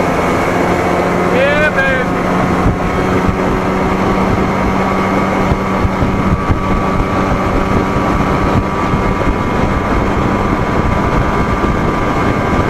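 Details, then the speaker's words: 1987 Johnson 40hp outboard under way after ignition timing reset by wide-open-throttle method: steady even drone with no misses or knocks under wind and water noise; runs well, though idle still slightly rough. "sounds good like i said i'm just gonna roll out right over me i can feel the difference changing that damn timing right"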